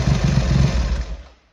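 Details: Triumph Hurricane X75 triple with rebuilt carbs, pilot screws richened slightly and left-hand carb adjustment corrected, not fully warm: deep, even burble with no obvious misfires, dying away after about a second; normal idle.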